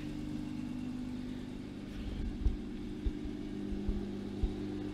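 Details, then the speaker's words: Single-turbo BMW 335i with JB4, cold day, idling after first start in 3 months of sitting; rough at first, now a steady, even low hum with no knocks, misses or hunting; normal idle. "obviously it ran a little rough at first, but listen to that idle right now."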